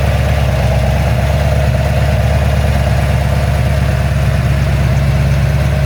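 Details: Ford XC GXL under restoration with a 351 V8, warming up before the thermostat opens, with the choke later judged too rich: a deep, steady burble with an even rhythm and no knocks, ticks or misses. A normal idle.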